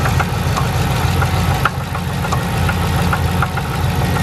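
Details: Dodge Charger SRT8 6.1 idling, at risk of stalling, engine light on: rough idle with irregular sharp taps over low rumble; owner says it sounds bad, suspects broken motor; cause unknown.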